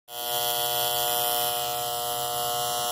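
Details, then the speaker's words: HVAC unit's fairly new 24V contactor, extremely loud coil; steady electrical buzz starts instantly on power-up and holds while energized — noisy contactor coil, being replaced. "that kind of speak for itself doesn't it I don't get to have to tell anybody what's wrong with this one we got one heck of a noisy coal on this thing and it's a fairly new contact"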